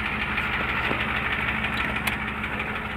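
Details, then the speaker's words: 1993 IDI turbo diesel engine swapped into a '93 truck, idling with a sharp repeated knock about three per second over the clatter. The knock appears about 30 seconds after start as it smooths out; it cranks unusually fast and the valve covers showed nothing. Cause unknown. "starts to do that knock, knock, knock, knock, knock, knock, knock."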